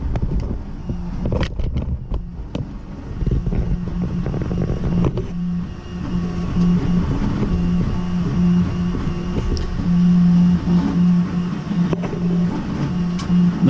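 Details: CEL Robox 3D printer after fixing a filament jam: steady low motor hum with rapid clicks and whirs as the head moves; printing normally.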